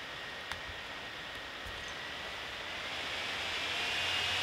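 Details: Gigabyte P34G 14-inch laptop while video rendering, mic next to it: steady airy fan rush growing louder, the cooling fan spinning hard and really loud under heavy load.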